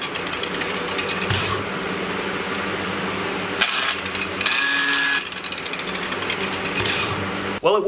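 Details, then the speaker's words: Angle grinder about 10 years old, pushed hard under heavy load: harsh uneven buzzing whir with rattling edge and surging pitch, rough running; owner believes the motor burnt out, maybe worn or dirty brushes, unconfirmed. "it would appear that I burnt out the motor in my angle grinder. I have been pushing it pretty hard. It's been a heavy load on this guy, and I've had this for probably about 10 years now, but take a listen. It sounds awful."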